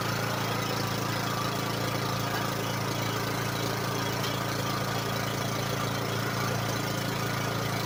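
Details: Kohler Courage single-cylinder 15–22 HP mower engine after a tune-up with new air filter, prefilter, oil, oil filter, fuel filter and spark plug and a cleaned carburetor; steady even beat at fast idle with no misses or knocks; running cleanly.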